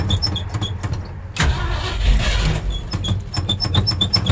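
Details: Old Ford Bronco cold-starting in December, described as very cold blooded and hard starting. Scattered clicking, then about a second of rough cranking that fades without the engine catching.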